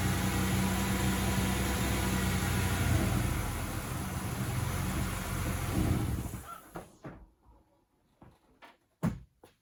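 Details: 1995 Ford Ranger 4.0 manual RWD after air filter, fuel filter and Seafoam service: catches and idles unevenly, lumpy and wavering, then shuts off; rough idle, owner suspects the idle valve, cleaning did not help, worse restarting hot.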